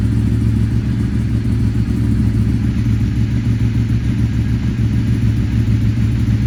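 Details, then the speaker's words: Ducati 848 Evo motorbike, abandoned non-runner, first start after sorting the immobilizer ring, on a full tank: steady, even low rumble with no knocks or misses, running cleanly. "Okay so I didn't do anything ah it sounds nice though Chris hey"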